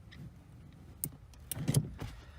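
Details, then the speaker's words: Nitrous install on a Silverado: a throttle microswitch is mounted to be pressed by the throttle pedal and gives a few sharp, light clicks at full pedal to trigger the nitrous. Switch working. "Basically, when I press the throttle button with the throttle pedal. Oh, well, you focus, goddamn thing. gonna press it. Bam, you hear that"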